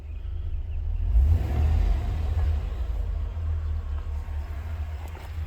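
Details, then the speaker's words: 2004 Chevrolet Silverado 2500 HD with rodent-chewed wiring, after swapping back to the factory junction box (spare box was shorted): low steady rumble, idling slower, clean throttle blips settling back; throttle control restored. "Sounds like it's idling a lot slower now."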